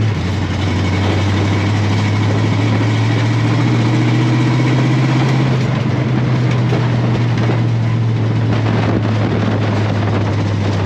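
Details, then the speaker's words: 1957 Chevy V8 on its first drive in 31 years, recorded on a helmet cam: a deep, even rumble at steady speed over wind noise, no misses or pops; running cleanly. "so there you have it for the first time in 31 years the car has made a successful drive under its own power"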